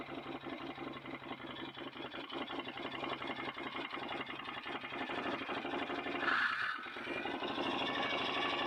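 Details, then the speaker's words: 2008 Can-Am Outlander Max XT 500 with overheating and limp mode, fan forced on by unplugging sensor: rapid rhythmic scraping ticks over fan whir; aftermarket cooling fan blades rubbing against something. "Certainly did come on, but it's making an awful loud noise, rubbing against something, so I gotta investigate that."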